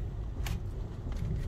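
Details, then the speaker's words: 2013–2019 Ford Taurus, OEM upper strut mounts replaced 9 months and under 10,000 miles ago, steering wheel turned left and right: dull banging knocks over a low rumble from the small bearing inside, a strut mount bearing clunk. "like the banging noise, bang bang bang. Those are the strut mounts. So these are 9 months old."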